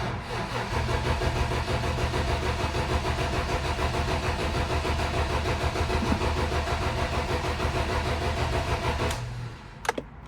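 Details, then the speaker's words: BMW E30 with a swapped-in engine, parked since 2012, with spark present. The distributor wire was rerouted and hoses clamped, yet the starter churns steadily for about nine seconds with no catch. The fuel pump is dead; it was replaced, and the old gas looked dark. "Never mind, this pump is dead. It doesn't turn on at all."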